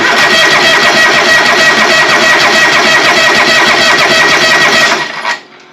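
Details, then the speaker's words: John Deere 425, sat a long time, cranking after hard-start relay fitted; fuel smells bad: starter churns steadily about five seconds, never catches. Later traced to fouled spark plugs and a fuel cut-off solenoid on the carburetor. "it starts cranking I just assuming there's gas in it yeah gas in it but sure don't smell very good"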